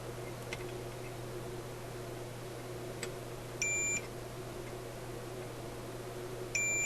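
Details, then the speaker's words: Simplex antique vacuum tube radio, continuity test of the front antenna coils across the band switch: two clean high beeps over a steady hum, confirming the coils are good. "okay so that shows that this front coils these front coils these two are good"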